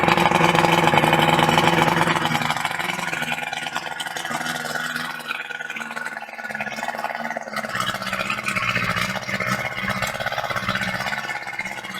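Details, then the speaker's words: Rebuilt carburetors on a 1988 Evinrude 88SPL outboard, first start after cleaning and greasing the timing mechanism: starts rough with a loud bark, then settles into an even, steady buzzing run; sounds healthy, timing still to be set under load on the water. "so all right well she sounds good i just got to take it out and uh do the timing on it"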